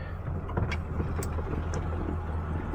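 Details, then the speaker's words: Old '70 car, started with no gas pedal: steady low V8 burble, even beat, no ticking or knocking; runs smoothly. "no press on the pedal let's see how it does look at that didn't give it no gas"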